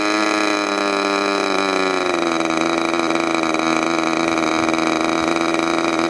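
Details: Freshly overhauled modified K&B .61 glow engine from CF Lee, test run after idle screw setting and restart: high, steady buzzing note eases slightly, then holds flat and even with no sag or misfire; healthy.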